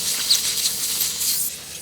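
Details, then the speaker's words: Zero-turn mower tire, microphone at the sidewall plug: a steady sharp hiss of escaping air. The sidewall plug isn't sealing; the leak later stopped with three plugs, and a new tire is to be ordered. "It's just sidewalls aren't made to hold plugs. Yeah, I can feel the air. Can hear it actually."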